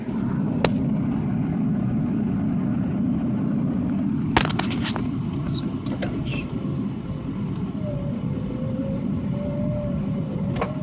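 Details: 1993 Ford Taurus SHO manual, cranks steadily about three beats a second but never fires despite new fuel pump, filter, crank and cam sensors, plugs, injectors, ignition module, coil pack, CCRM; spark present, crank sensor seems good; crank no start.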